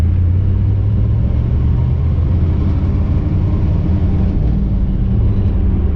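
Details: 1959 Chevy El Camino, off the road 29 years, cruising after the missing driveline carrier bearing bolts were installed. Steady low road rumble with no grinding or rhythmic scraping underneath; quiet driveline, the earlier grinding and rubbing is gone.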